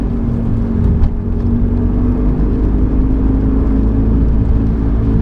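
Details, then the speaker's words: 1995 BMW E36 318i at higher cruising speed: a steady low hum at one pitch under heavy road rumble. The previous owner's mechanic said the rear wheel bearings are worn. "Can you hear that whining sound? Now, I was told by the previous owner that the mechanic had looked at it and said it was worn rear wheel bearings."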